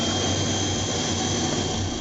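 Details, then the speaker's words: 1986 Clean Burn AH 86 140k BTU waste oil furnace running, pump at about 32 psi with air injected around the nozzle: steady even roar with constant hiss, no pulsing or sputtering; burner firing cleanly, normal operation. "It's showing the burner's engaged. And we'll go up and take a look at it. Now, so the pump is now running."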